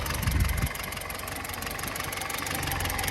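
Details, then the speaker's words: 1974 Ford Courier, 56,000 miles, Hitachi carburetor, factory electric fuel pump, cold start needing choke: low lumpy slightly uneven idle with irregular pulses, not running perfect. "probably not running perfect like I said these Hitachi carbs a lot of people replace them with a Weber"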